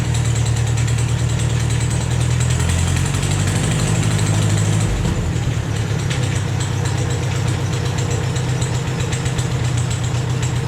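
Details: Rebuilt engine on a Vermeer 630A stump grinder after rerouting the fuel pump line to feed the carburetor: runs steadily at constant speed after a brief pitch dip midway, no misfire or knock; normal running.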